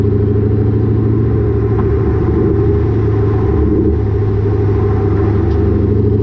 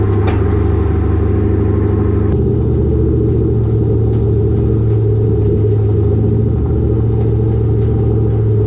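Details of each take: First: Lowered car (rear coilovers) with Borla catback, after a header-wrap fix: steady deep exhaust rumble while driving, with no thuds or knocks; the exhaust no longer hits the axle or suspension. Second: Car with a Borla catback exhaust and lowered rear coilovers, recorded by a GoPro underneath while driving. Road rumble with irregular sharp metallic smacks over bumps as the exhaust pipe hits the rear axle.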